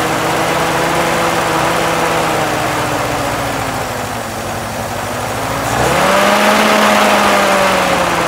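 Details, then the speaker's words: Willys M38A1 Jeep first run after acquisition, old four-cylinder burning off cobwebs, carb likely needing cleaning: steady note dips slightly then rises smoothly as throttle opens, no knocks or misses; running fine. "not too bad yeah sounds good running fine cobwebs are burning off"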